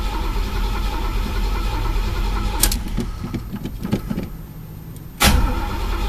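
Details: Chevy El Camino, sat about a month and a half, starter spins the engine steadily but it never fires; no start because the tank was empty while the broken gas gauge read full. Owner had also suspected the fuel pump.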